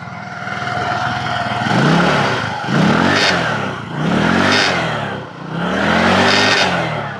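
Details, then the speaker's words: Scooter revved at idle: each throttle blip brings a raspy, puffing blat over the rising engine note; the exhaust bolt had broken and fallen out, leaking exhaust, fixed by extracting the broken piece and fitting a new bolt. "Como se aprecia en el mismo video, el tornillo del escape se ha caído. En este caso este se rompió."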